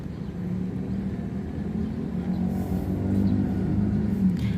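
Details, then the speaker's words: Daikin R410A AC outdoor unit: fan turns very slowly with a low steady hum, intermittent hum from the compressor which stalls and won't run, pipes dry with no cooling; failed run capacitor, replaced. "Perhatikan, teman-teman, kipasnya berputar sangat lambat dan ada suara dengung sesekali dari kompresor, teman-teman."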